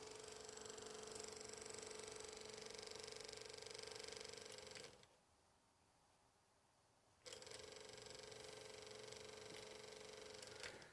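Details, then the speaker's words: Belt-drive turntable chassis in poor condition, recorded close to the motor: steady mid-pitched hum with fast ticking about four times a second, cutting out and resuming; very noisy motor, owner suspects bearings, speed erratic, possibly a worn pot. "very noisy. That's probably the bearings or something, but I mean, its suspension bit's alright, it's moving."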